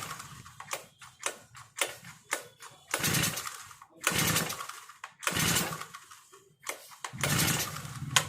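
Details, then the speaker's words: Four-stroke brush cutter with foam air filter: after pressing the carburettor primer bulb 8–10 times, repeated rasping pull-cord strokes with no firing or catching; it cranks but won't start, so the choke will be used next. "यह four stock brush cutter machine start नहीं हो रहा है तो हम चौक का इस्तेमाल करेंगे"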